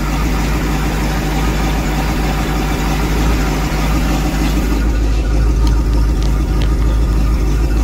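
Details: Volvo Penta boat engine after work on clogged exhaust manifolds and risers refitted (exhaust alarm had occurred at wide open throttle): steady, even low idle rumble with water splashing, no misses or knocks; normal idle after repair.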